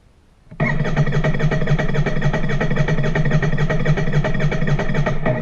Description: Royal Enfield INT 650 failure to start